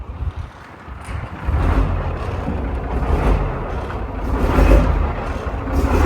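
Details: Diesel in a Chieftain Mk10 tank, once considered a write-off, given a tiny bit of revs: deep rumble swells with light throttle and stays even under wind noise; running very well, possibly low on fuel.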